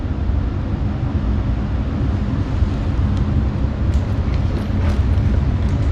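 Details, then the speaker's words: Carrier 58 Series furnace, new ECM blower motor on motor simulator, cold weather: steady even rush of air with low hum underneath, no knocks; blower running at high, air-conditioning-like speed, tech suspects air left on. "maybe I left the air on because that sounds like air conditioning speed"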